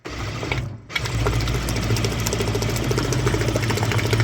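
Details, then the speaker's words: DIY food-grade peristaltic pump for maple syrup filter press, test run pumping hot water at high flow: quick chugging about three pulses a second over steady motor hum; normal running. "Seems to be working wonderful. I've got fluid flowing nicely through."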